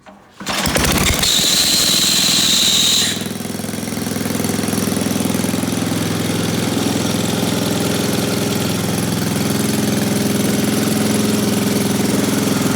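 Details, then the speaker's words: Old Briggs & Stratton generator engine after carburetor and points repair, having sat a few years: brief high squeal from the dried-out pull-start one-way bearing, then a steady even chug with no misses; runs great. "But it runs great, and I'm gonna fire it up and I'll let y'all hear it run for a second."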